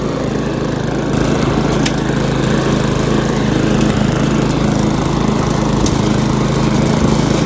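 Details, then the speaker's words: Repaired Briggs & Stratton lawn mower at full throttle, target about 3000–3600 rpm, cutting thick grass before an oil change: strong, even drone with no misses or surging; runs healthy under load. "let's just run it full throttle we'll do a bit of cutting look at that and then we'll change the oil have a look at the rpm it should be about 3 000 to 3600."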